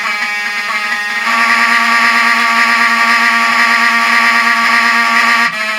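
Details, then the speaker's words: Vintage Wheelock 7002T fire alarm horn strobe fed full-wave rectified power by the panel on normal power: harsh, buzzy, scratchy horn tone with a gritty rasp. It sounds smoother on filtered DC during battery backup. "power, or whatever you want to call it, it outputs FWR to the notification appliances, which is fine, but kind of with older appliances like these, they sound scratchy."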